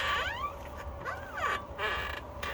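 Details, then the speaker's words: Tesla Model 3 on a lift, wheel rocked by hand: repeated rubbery creaks and squeaks with sliding pitch from the front end. A dry upper ball joint is the cause, fixed by injecting grease. "All right, so we have the Tesla up on the lift, and we basically figured out that it is the upper ball joint, and I can kind of show you that."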